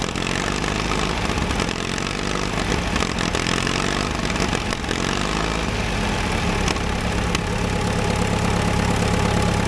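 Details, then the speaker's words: Caterpillar dozer diesel parked since 1992, first run after fuel was added to the pump. It settles into a rough but steady low idle with no knocks or misses standing out: normal diesel idle. "it sounds like it runs pretty good now first time since 1992."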